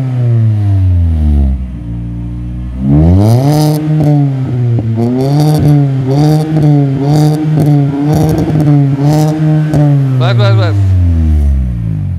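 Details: Mini Cooper Convertible with an aftermarket sports exhaust, after the exhaust noise was fixed, heard from outside: clean rising and falling revs with a smooth note and no clunk or knock. The exhaust is healthy.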